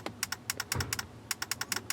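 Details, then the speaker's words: 2006 Ford F250 horn circuit with sharp, dry clicks about five or six a second. The horn was stuck on and blowing fuses, traced to a stuck horn contact pad. The owner suspects a stuck horn relay chattering, not confirmed. "oh this is a stuck relay I'm gonna hear it popping"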